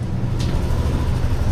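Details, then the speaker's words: Yamaha NMAX Tech Max scooter running after big CVT oil seal replacement and pulley calibration (pulley had stuck), sensor error cleared; steady low even drone with no knocks, rattles or belt slap, drivetrain quiet and smooth. "Tahimik na. Smooth. Tama. Naging RPM na."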